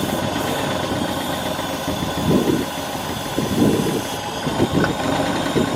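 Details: 1995 Ford Mustang 5.0 (302) V8, 5-speed manual, first start after 15 years, barely idling: surges in uneven bursts about every second, struggling rough idle, possibly lifter clatter; cause not confirmed.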